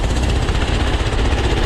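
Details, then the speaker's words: Doodle Bug DB30 minibike after fitting a new carburetor: steady, strong, even low putter with no stumbling or surging, running way better than before. "she's running way better than before"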